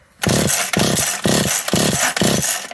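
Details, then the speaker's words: McCulloch Eager Beaver 2.0 chainsaw, new coil giving big bright spark, carburetor already gone through: five quick rope pulls, each a short whirring spin dying away without firing; no-start finally traced to low compression. "finally after all that i determined it had low compression"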